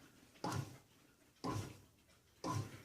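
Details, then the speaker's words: Hitachi HB-B301 bread maker, start of cycle after loading ingredients: short motor whirs about once a second, each rising then fading, with quiet gaps, the 60-second pre-knead mixing phase; normal operation. "Now what you're hearing is the bread maker making small and quick whoa, whoa, whoa, whoa sounds. And it'll be doing it for 60 seconds on the first part of the cycle."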